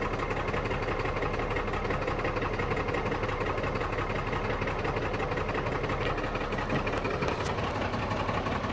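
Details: Cummins 12-valve diesel, rebuilt and bored .040 over, timing about 16°, injection pump replaced about 20k ago: choppy idle with a cylinder seeming to drop out. Misfire worsens after a few miles until it dies; fuel parts replaced, cause unknown.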